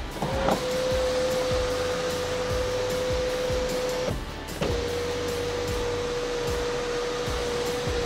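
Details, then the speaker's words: 2016 Infiniti QX50 AWD, about 49,000 km, sunroof opened and closed: smooth, steady motor hum, a short pause, then closing with no grinding or clicking; no motor or rail noise; normal sunroof motor operation. "자 이렇게 제가 썬루프 라면 열었다 다 빼 봤는데요 열릴 때 나 닫힐 때 모터 잡아 레일 자동 하나는 없이 정말 최고의 컨디션을 자랑하고 있습니다"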